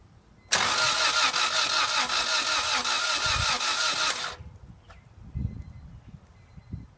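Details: 1997 Acura Integra GSR with new spark plugs and wires; starter spins the engine in a steady churning rhythm for about four seconds but it never fires: crank, no start.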